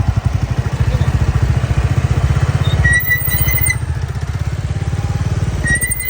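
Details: Royal Enfield Bullet Classic 350 single-cylinder thumps along, then a sharp high squeal rings out twice as the drum brake is applied while riding; adjustment did not cure it.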